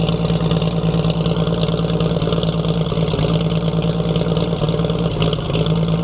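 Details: 1942 Chevrolet Blitz CMP 4WD truck, 216 petrol straight-six: steady low idle with even hum, any pump bearing growl buried; owner points out water pump noise, engine later boils, pump seemingly not pumping.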